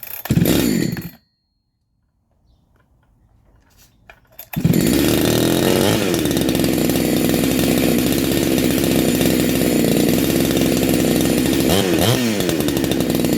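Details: Neo-tec NH872 chainsaw (372XP clone), big bore kit, cold start on second heat cycle: after a brief pause it fires and holds a steady, crisp two-stroke note, revving cleanly without misfire; normal running.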